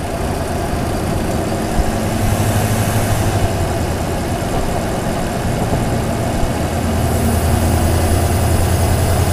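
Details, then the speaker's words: Toyota Tundra, mic hung in engine bay over airbox, at idle: deep V8 rumble with faint high thin whistle drifting in and out, intake whistle after switching from K&N to TRD air filter on aftermarket intake with Magnuson supercharger; engine sounds turbo-diesel-like. "so we switched from K&N air filter to TRD air filter and we got that whistle and at this point it's welcome"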